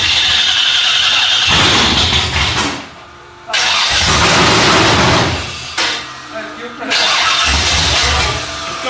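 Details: Freshly rebuilt Holden 308 V8 on a part chassis, first start attempt: three long bursts of even cranking, spinning freely but never catching.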